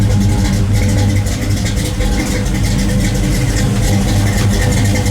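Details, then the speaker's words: 1973 Camaro Z28 RS V8 idling after swapping stamped steel rockers for 1.6 ratio full roller rockers: deep steady burble, crisp crackle of individual cylinders firing, no rocker tapping; healthy idle. "You hear that nice little crackle? That's what you like to hear. You can hear the individual cylinders firing. That's what you love to hear. That's what an old muscle car should sound like."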